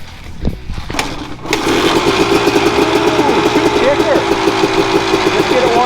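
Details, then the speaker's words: Landon's freshly reassembled dirt bike, kick-started and warming up the piston and cylinder: it fires and settles into a quick, even putter with a steady beat. It runs cleanly and sounds good. "get it warmed up good so that piston and cylinder are happy. Take it for a rip. Sounds like it's good. Yeah, the meth sounds good."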